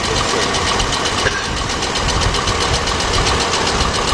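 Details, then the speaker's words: 2006 GMC Envoy XL Denali 5.3 V8 at idle, after replacing the torque converter bolts with thread lock: the knocking noise is gone, but a rough idle with a recurring stumble and soft tapping remains. Misfire still present; coils and wires are suspected. "all right guys the door is there you have it car still got a misfire but that noise went away"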